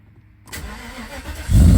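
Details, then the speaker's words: 1995 Mercedes S500 W140 V8 after fuel pump replacement, fuel primed: short crank, then catches at once into a deep, even rumble; previously sputtered and stalled on start. "Oh, that started pretty much right away. And oh yeah, we were not getting that at all. Not at all in the past."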